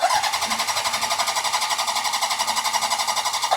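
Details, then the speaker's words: Homebuilt engine after cylinder head and valve work, cranked with the spark plugs in and oil in the cylinders: a steady, even chuffing of about four pulses a second. Compression sounds balanced and healthy. "That sounds really good, actually. I'm real happy with that. Like, it's not going or anything like that. That sounds very well balanced."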